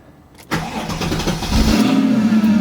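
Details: Mercedes C55 AMG M113 V8 after fitting Nuke Performance fuel rails, primed, in neutral; starter catches at half a second, V8 fires and settles into steady even idle.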